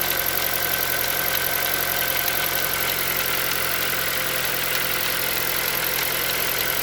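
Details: Hyundai Solaris 1.6 cold start: faint light tapping buried under a hissy, busy engine note at cold idle; engine knock when cold, cause unknown.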